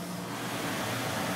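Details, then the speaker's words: Maple evaporator blower box: 1/2 hp motor on a 7 3/4 in high-pressure blower plus a 200 CFM squirrel-cage low-pressure blower, inlet dampers closed, about half an inch water pressure; quiet, steady rushing hum with no rattle or rub; normal blower running. "I'm going to turn it on here you can see it's actually kind of quiet so let me flip it on here"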